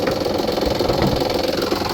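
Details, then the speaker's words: 2007 Kia Sportage, timing belt replaced in 2020: a busy, rattly whirring chatter heard only at idle. It does not seem to come from the engine block; an idler pulley is suspected but not confirmed. "so Matt is thinking that cuz this just makes the noise at idle um and so he's thinking that down there there's an idler py that he thinks um is making that noise"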